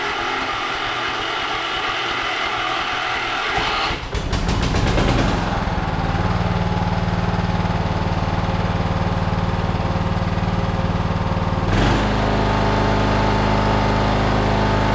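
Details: Riding mower engine after welded starter repair, shroud refitted, small carb leak and valve cover oil leak: cranks briefly, catches about four seconds in, then steady, even drone with no misses or knocks; normal running.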